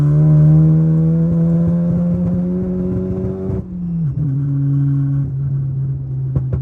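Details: MK7 VW GTI at full throttle in second and third gear across the RPM range: engine pulls hard and rises in pitch, then abruptly drops and stumbles mid-pull. Fuel cut sputter at full throttle, cause unknown.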